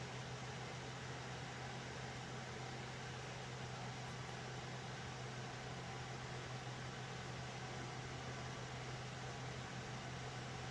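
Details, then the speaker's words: Alphacool Eisbaer Pro Aurora AIO liquid cooler after pump-motor replacement, under a full stress test in a server: steady airy rush of loud fans over a low constant hum with no rattle or pulsing. Cooler is operating normally. "okay so you can hear how noisy these fans are"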